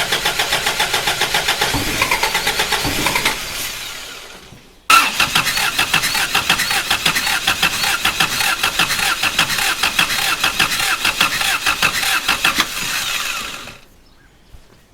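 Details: Toyota Hilux after body swap, first start attempt: cranks with no start until the ignition coil is fed power directly, then it fires; the coil isn't getting power, and there's little, possibly evaporated fuel.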